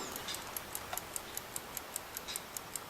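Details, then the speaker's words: Wind-up travel alarm clock with alarm function: light, crisp ticks at about five per second, steady and even in a quiet room; movement running normally. "Can you hear it ticking? I can hear it. Yep, if you can hear it, it'll probably be picked up. Yep. Okay. Okay, so yeah, indication that it works."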